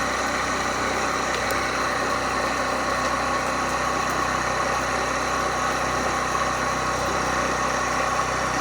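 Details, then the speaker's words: Maple sap tubing vacuum pump, recirculation valve adjusted toward maximum vacuum: steady drone with a hissy airy layer as the pump starts drawing air near its vacuum limit. "je regarde le cadran voyez là on entend que la pompe commence à tirer de l'air"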